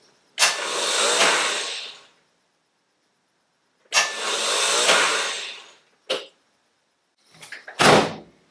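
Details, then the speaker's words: Rebuilt Spitfire-spec engine in Triumph Herald 13/60, first crank after rebuild, ignition disconnected, no fuel or water; two long free whirs with no engine turning; starter spinning without engaging the flywheel, cause not confirmed. "so that sound like the starter was spinning but not engaging right"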